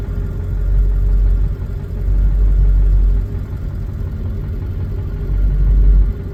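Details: Ford 7.3 diesel at idle with IDM code P1316: deep idle that surges and sags every second or two instead of holding steady; rough idle from an injector driver module fault.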